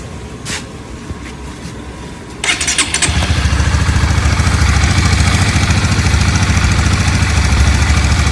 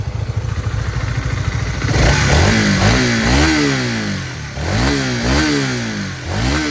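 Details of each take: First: Honda CBR150 motorcycle; fires up and settles into a loud, uneven idle with a rough rapid patter on top: abnormal engine noise, cause undetermined. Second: Honda CBR150 single-cylinder: revs climb smoothly and drop back several times, pitch rising evenly with throttle, no knock or rattle standing out; normal engine revving.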